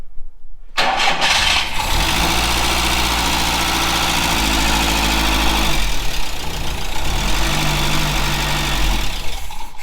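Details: VW Scirocco Mk2 Tropic, stored for a while, started with fuel fed by syringe because the fuel pump is suspected dead: cranks, catches and settles into an even idle, runs steadily, then shuts down; engine runs fine.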